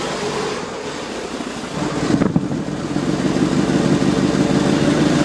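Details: Mitsubishi Evo 4G63 below 2000 rpm: uneven low idle with loose irregular knock about three per second, sputtering and wanting to stall; smooth above 2000 rpm, rocker arms look fine, cause unclear.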